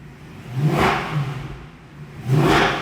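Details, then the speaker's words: C63 AMG Edition 507 Coupe: two quick, clean revs from a smooth idle, rising and falling crisply with sharp throttle response, no tick, shake or stumble; engine running healthy. "the throttle response is ridiculous on these cars no tick at all it definitely would have been ticking now"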